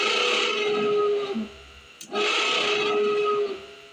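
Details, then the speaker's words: 1978 Camaro blower motor, directly powered and grounded after lubricant spray: loud squealing howl in bursts each time power is applied; owner suspects the motor is failing and needs replacing. "sounds like an elephant under the dashboard that's pretty awful I'm probably gonna have to just change that whole motor"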